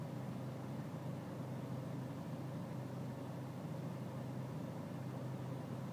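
Diesel idling with a steady low drone and a slightly uneven, lumpy beat underneath; rough idle, cause not yet pinned down.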